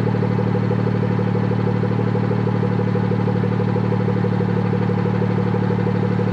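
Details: BMW F30 340i idling after the exhaust valve rattle was fixed with a new clip, with the car in sport mode to open the valve: steady, even idle and smooth low exhaust note, no rattle or buzz. Normal.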